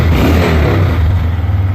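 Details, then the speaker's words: Wilderness ATV after ethanol-damaged carb repair: the single-cylinder engine swells smoothly with throttle blips, with no sticking or stumbling. Idle is a bit low and there was a slight backfire. Healthy throttle response. "Oh, it runs. Wow. That is pretty cool."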